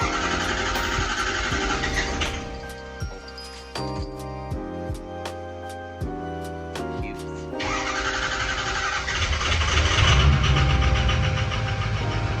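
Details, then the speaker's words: Ford 6.0 Powerstroke diesel, sat a week, injection pressure around 1300, cold: cranks then settles into a loud, uneven clatter with some blue smoke; rough running, cause unknown, owner checked the vacuum pump. "We're gonna let it warm up a little bit, and maybe it'll be happier, but I don't think it will be. Doesn't really seem like it's running right still, and puffing a fair bit of blue smoke, but not like a ton."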